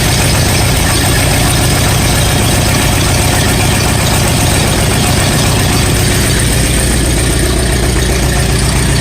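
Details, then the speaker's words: 1959 Allis-Chalmers D-17 tractor after rewiring, oil pressure in the normal range: steady low chugging about two beats a second with no knocks or rattles. Normal idle. "I'm glad to see we're in the normal for oil pressures that's really good that's that almost an idol"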